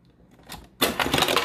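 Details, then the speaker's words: Refrigerator ice maker defaulting to crushed ice: on pressing the dispenser, a sharp click of the plastic crushed/cubed selector bar slamming down, then clattering ice. This is a normal switch-over sound. "you heard that look click sound that sound that clicking which what you're actually hearing is what you're actually hearing is this little plastic piece right here moving slamming down"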